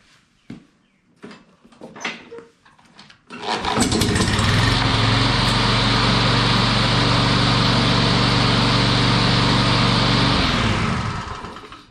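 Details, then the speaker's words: Troy-Bilt TB360 push mower, sat unused about four years, self-propel belt removed: after a few pulls it catches and runs steadily at high revs, with a brief metallic clatter only on starting that clears; owner suspects the old belt pulley, blade clearance checked fine. "I got a little Racket and I think I know what it is but uh I'm pretty sure it's the pulley that used to hold that belt so we'll have to take a look at that it sounds almost like the blades hitting something but you'll see once it it only does it when you crank it and then it uh it goes away"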